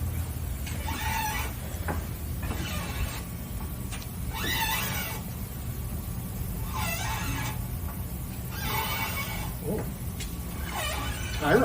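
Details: Car front suspension while turning the wheels: loud creaking squeaks about every two seconds over a low rumble; suspected failing ball joint, not confirmed.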